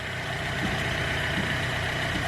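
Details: Hyundai Getz engine at 149,668 km, after clutch kit and oil pan gasket replacement for oil loss and poor pulling: steady, even idle with a smooth low pulse and no knocks or misses; runs fine.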